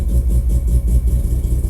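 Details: Mazda RX-7 FD rotary, down six months with ignition wiring problems, just after fitting new AEM IGN1A smart coils and harness. Fires right up to a quick, even low pulse and steady buzz with no misfires. Normal idle.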